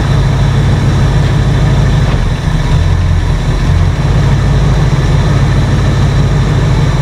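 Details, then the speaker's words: 1968 Ford F100 V8 with a new cheap carburetor and a thick plastic intake gasket leaking badly, idles with a deep, steady rumble but far too high; choke or fast-idle setting also suspected. "it's like a thick piece of plastic it didn't come with the thin paper gaskets those are the best to use and we'll fire it up and see if it runs any better but it's just idling way too high"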